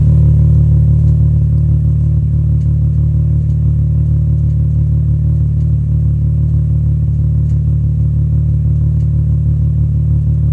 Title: VR6 slight rough idle